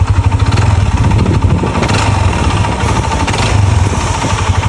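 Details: Yamaha NMAX scooter engine idles with a rough, uneven clattering knock, like a grass-cutter engine, plus vibration; stuck piston rings and oil passage problems scored the piston and cylinder block.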